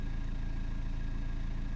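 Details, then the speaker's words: BMW 320td diesel just after low pressure fuel pump replacement (limp mode, low fuel pressure logged; fix uncertain), after a slightly hesitant start: short stretch of steady, even idle with smooth low beat, no knocks or misses; normal idle. "It hesitated for a bit there, but seems okay."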